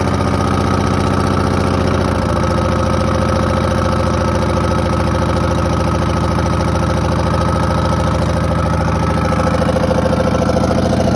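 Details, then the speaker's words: 1982 Silver Eagle tour bus, Detroit 6V92 diesel, parked 6-10 years, fired first try on a small battery; steady, even low drumming idle with no knocks or rattles, oil pressure up and air building quickly; normal idle. "so it appears everything's operational up here i can't believe she started that good"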